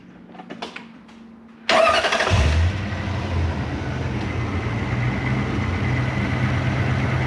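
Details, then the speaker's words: Lexus LS400 (UCF20, 1UZ-FE VVT-i) with VVT-i codes P1346, P1349, P1351, P1354 after a cam job, actuators possibly reassembled wrong: cranks, catches, settles to a slightly uneven idle with a light rapid throttle rattle; cause of the chatter unknown. "oh yeah and the throttle's chattering too"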